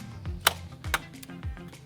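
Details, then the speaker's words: School bus after wiring was pulled out during gutting: it won't start, and the relay box clicks sharply about twice a second with no cranking. The owners suspect a needed wire was unplugged; cause unconfirmed. "yeah something's going on under there i hear a relay box clicking do you hear it yeah"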